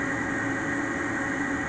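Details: Replacement Ametek 117104-01 furnace draft inducer (old one wouldn't start and was noisy) running: smooth, constant whir with steady mid tone, no scraping or rattling; normal draft inducer operation after replacement.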